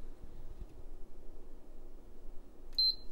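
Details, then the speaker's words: PS4 CUH-1215B Call of Duty Black Ops III fat with no-power fault: quiet hum then one short high beep as the power button is pressed and the board tries to start. Power-on beep. "I bet you right now if I press this power button she'll try to turn on"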